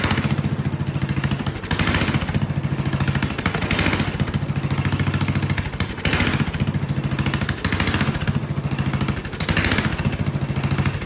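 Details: Vintage Kohler flathead generator engine (guessed 400–500 cc), choke held shut; runs violently, speed hunting up and down about every two seconds. Suspected carburetor problems or poor fuel delivery. Engine surging, lean fuel supply.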